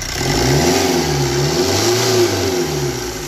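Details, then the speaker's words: Maruti Swift with code P0107 boost pressure low and pickup drop: engine revs up and down with a loud steady hiss like running without an air filter; a broken, detached intercooler pipe is leaking boost. "है जहां से यह निकल गया मुकुल गया है इसका intercooler का है"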